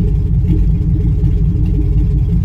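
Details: 2005 Chevy Tahoe 5.3L V8 with P0300, no power, stalling despite new plugs, wires and coil packs: deep lumpy uneven idle misfire on bank 1; clogged catalytic converter caused by faulty bank 1 sensor 1 oxygen sensor, fuel related.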